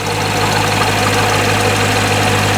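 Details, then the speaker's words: 2019 Corvette C7 Grand Sport, first start after a Magnuson TVS2650 supercharger install, in a very cold garage. A steady, even idle with a smooth low rumble and a light blower whine; exhaust smoke is put down to the cold, and it runs healthy. "sounds good idling nicely so the smoke there that you see on the exhaust is nothing to worry about it's really cold out here in the garage so i'm not too worried"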